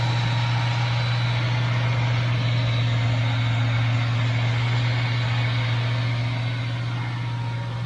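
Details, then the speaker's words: 1982 El Camino V8 that sometimes dies after running a while: currently deep steady even idle, no misses or knocks; normal idle. "right now it's idling perfect you would think the car is perfect"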